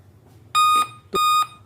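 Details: Laptop powers on with display but gives clear high electronic beeps at startup, each about a third of a second, repeating intermittently even after boot; POST beep code from a dead CMOS battery.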